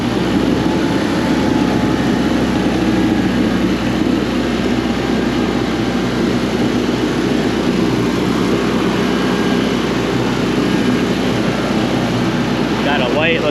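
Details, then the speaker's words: Coleman Powermate PM800 generator (600W, possibly 78cc Kawasaki 4-stroke), after tightening loose carb and fresh gas, choke off: steady unbroken drone with no surging, stumbling or knocks; runs good. "So, yeah, runs good."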